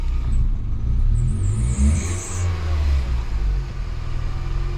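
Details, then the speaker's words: Toyota Scion daily driver with recurring misfire; cylinders 3 and 4 have low compression and heavy oil consumption. After compression test and reassembly, slow start then deep, lumpy idle that stumbles and surges, missing badly; later settled to normal idle. "That took long enough. Oh, she's missing bad though."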